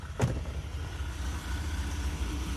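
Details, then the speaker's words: Mazda Bravo B2000 2000 model carburettor van on LPG, high kilometres, after MCV dashpot fix: low steady idle rumble with slight growl, even beat, no missed firing; normal idle. "and yeah it's got a bit of a growl to it but if I bring the revs up a little bit it's fixed hope that helps"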